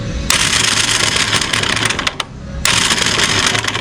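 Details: Motorstar Xplorer Z200 motorcycle after a road test: rapid rattling metallic clatter on cranking with no firing; the flywheel key/pin sheared, letting the flywheel come loose, and the stator was destroyed.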